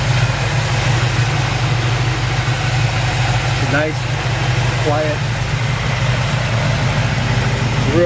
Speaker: got new dual exhaust it really just purrs like a kitten